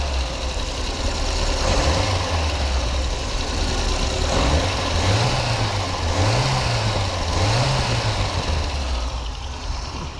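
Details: VAZ 2108/2109/21099 after timing belt idler pulley replaced and alternator belt retensioned, previously whistling above idle: low, steady idle with gently wavering hum and no squeal or chirp; belts quiet, engine normal.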